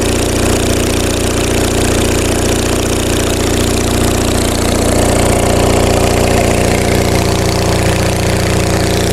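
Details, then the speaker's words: Onan MDJE diesel generator as load increases toward about 6,000 W: firm even thump around 220 beats a minute with a rough crackling exhaust edge; frequency droop judged not bad. "Exhaust note is getting pretty crackly. Let's bounce it around a little bit."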